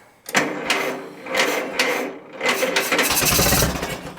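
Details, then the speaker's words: 1943 Case SC tractor sat for years: slow, uneven cranking in bursts with sharp pops as it nearly fires but won't keep running; closest attempt yet, it started soon after. "oh did you hear that woo [Music] that's the closest we've come so far all right let's give it another shot so close she wants to go"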